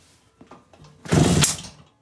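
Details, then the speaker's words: 1969 Kawasaki C2 two-stroke, being kicked over after ignition wiring repair with two-stroke gas poured on the piston: faint clicks, then a short rough burst of pops under a second. It fires briefly on primed fuel. "i felt it in my foot i don't hear it whoo yeah she's alive"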